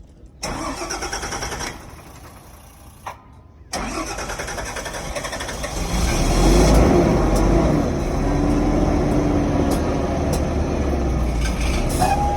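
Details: Diesel cranks and catches, then settles into a lumpy, uneven idle with a stumbling beat; engine misfire.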